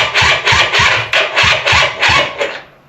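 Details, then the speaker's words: Polaris quad, possibly a 250, battery fully charged: starter spins in even bursts about three a second for under three seconds, engine never catches. Crank no start; airbox to come off to help it. "So, we're going to try not to, but I do think I'm going to have to do the thing I don't want to do and take the airbox off so we CAN can help it out a little bit because um it ain't starting"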